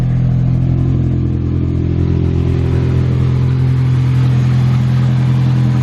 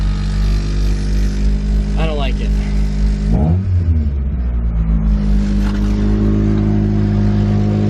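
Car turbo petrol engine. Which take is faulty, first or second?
first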